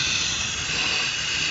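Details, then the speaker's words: Idling engine with the largest vacuum line, at the vacuum modulator, unplugged: loud steady high-pitched hiss of a vacuum leak; engine struggles as short-term fuel trim and injector pulse width rise well above about 5 ms. "you can see this engine is really suffering you see that short term fuel trim starts adding a lot of fuel"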